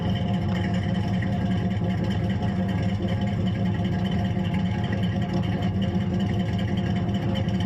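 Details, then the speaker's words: Chevrolet S10 with V8 swap, cold start, idle set slightly high: loud, steady deep V8 rumble with raw fuel smell and a white cloud; running rich, which the owner says is not a blown head gasket. "you smell gasoline coming out of the thing yeah so you know it's running a little rich especially by that little white cloud right there"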